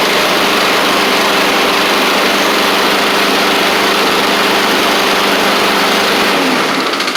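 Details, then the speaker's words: Husqvarna push mower with Honda GCV160 on a cold day: loud rough run with harsh high rattle and uneven beat under the deck; owner suspects blade or partially sheared blade key, blade looks off center. Abnormal mower noise. "I do kind of want to look at the blade and the blade key cuz it sounds like something's going on down here doesn't sound right"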